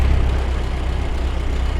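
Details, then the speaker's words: Bone-stock 1929 Ford Model A coupe, 40 hp four-cylinder, just fired up in neutral with a little timing advance: low, steady, even idle with strong fan wind, no misses or knocks. "That fan makes a lot of wind, too. It's even idling."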